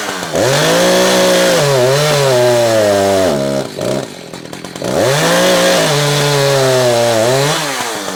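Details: Echo CS-590 chainsaw during carburetor tuning, cutting wood: screams at full throttle, then pitch sags heavily as it bites instead of holding revs; high-speed mixture too lean and lacking torque, so the H screw is richened a quarter turn.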